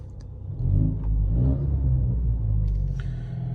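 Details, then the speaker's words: Ford Mustang EcoBoost after exhaust leak repair, revved while recorded inside the cabin, no mufflers, resonator retained, MBRP 3-inch downpipe with high-flow cat; deep, even rumble swells and settles with each blip, no ticking or puffing, exhaust sealed and healthy. "and this is with no mufflers still have the resonator in the mbrp three inch down pipe with a high flow cat sounds pretty good"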